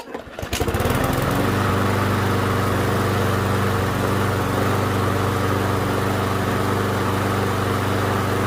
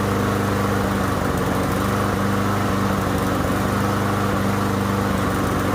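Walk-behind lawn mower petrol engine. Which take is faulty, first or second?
second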